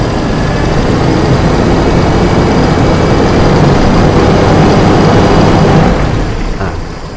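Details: Carburetted car engine after adjusting the idle air screw for low-to-mid-speed hesitation: steady even drone at raised speed without stumbling, then easing off; clean mid-range running.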